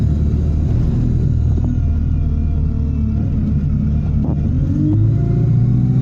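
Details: Stagecoach Yorkshire Alexander Dennis Enviro 200 bus, fleet number 36720, diesel under way: heavy drone with faint thin high tones riding over the rumble and shifting with revs; turbo whine.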